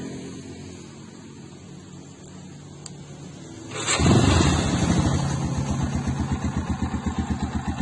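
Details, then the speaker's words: Yamaha Scorpio 225 motorcycle fitted with a Vixion monoshock: after a quiet lead-in the engine fires and settles into an even, regular idle of about three pulses a second. Owner calls the engine sound very smooth and pleasant; normal idle. "Hai Scorpio saya ini suaranya juga sangat juga enak sekali"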